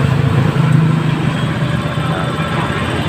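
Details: Honda Scoopy FI scooter, previously sputtering and lacking power, after fitting a new fuel pump with good pressure: steady, even engine hum with a firm low note and no stumbling or sputter; running normally.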